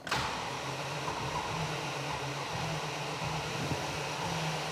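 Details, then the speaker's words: 1986 Range Rover, fuel pump in the tank outside the vehicle, plumbed and wired. Engine cranked with a fuel hose open. Steady electric hum under hiss; the pump runs and fuel comes out. "so when I crank it over now, I'm hoping I'm going to see some fuel come out of that hose."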